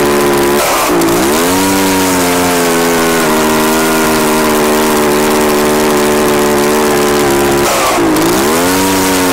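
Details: Echo PB-755ST two-stroke backpack blower on fresh two-stroke mix with Seafoam after stale fuel. It holds a steady buzz but sags and dips in pitch twice, so the carburetor still needs adjusting.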